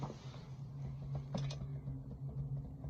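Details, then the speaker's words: Fox rear shock, light dull knocking clicks as rear suspension is pushed, also over humps; play in worn shock mounting bushings, not the hub bearing as the owner was told; fix is new bushings. "you can see a little play and making that looking noise when you go over humps"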